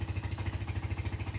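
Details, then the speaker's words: 2008 Yamaha Scorpio 225 after five months unused, idling after oil and oil filter change: low lumpy idle with harsh rattly edge, smoother with clutch pulled in. Rough idle. "Waduh, udah ganti oli masih kasar aja suara mesinnya ya. Kenapa ya?"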